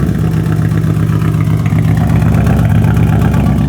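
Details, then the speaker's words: Nissan 240SX started after sitting almost a year, engine visibly wobbling: a low, uneven idle with a stumbling beat from a bad misfire; it stays running without throttle. "See how much the engine is wobbling though? It's misfiring really bad. You can see it and you can hear it, but it is it is idling."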